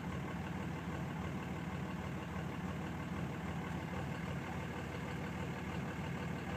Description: 2006 cummins rough idle when warm